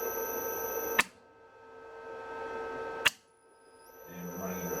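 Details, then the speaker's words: Victor lathe motor running on an inverter drive, set to 5-second acceleration, after a micro switch that had been blocking the lathe controls was found: steady high-pitched whine with two clicks as it switches forward and reverse. It runs smoothly both ways. "so we got the motor running all right we'll just uh quickly set you up and just show you that running"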